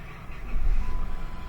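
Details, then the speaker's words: 2005 Chrysler Town and Country with intermittent check engine and battery lights, alternator suspected: a short, sluggish starter churn, cranking sounds weak. "alright tell it sounds a little bit weak check engine lights on"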